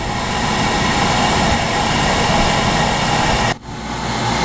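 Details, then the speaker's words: Oil-fired water heater burner firing steadily in its chamber after the oil line was bled: a steady roaring rush with blower hum, briefly dipping then holding even; normal, healthy burner firing. "You're gonna hear the burner fire inside the chamber."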